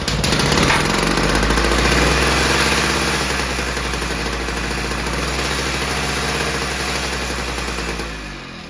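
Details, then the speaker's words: VICTA Tilt-A-Cut lawn edge trimmer two-stroke after carburettor rebuild, new face plate with new metal needle, new spark plug and plug boot; 3 primes, throttle just past slow: first pull start, buzzy steady run, no surging. Normal after repair. "So there you go folks, what a difference that has made. She's back to a first pull Victa."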